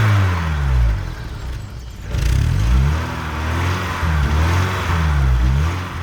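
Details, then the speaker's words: Barn-find BMW E30 off road 15 years, last started 10 years ago: engine blips and settles back cleanly several times, no misfire or hesitation; healthy, just needs a service. "yes ten years runs all right just need the service and she will be good"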